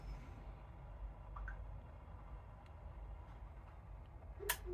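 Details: Hive Mini heating receiver, newly wired and paired with its thermostat, switching on at a 22 setpoint: one crisp click about 4.5 s in, quiet room, then the boiler fires for heating; normal relay click.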